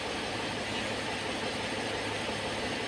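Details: Mercedes ML 350 CDI Airmatic air suspension compressor running after its 40 A fuse was replaced: steady, even whirring over the engine idle, no knocking or strain, as the sagging car rises; the compressor pumps normally.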